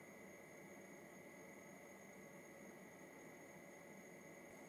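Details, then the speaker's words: VLAIAN W2000 LiFePO4 power station (2000 W, 1536 Wh) fast-charging at about 1100-1200 W: very faint steady airy hiss with thin constant tone, no surging; cooling fan running quietly, totally discreet. "et là on est à 1200 W pour l'instant elle est totalement discrète"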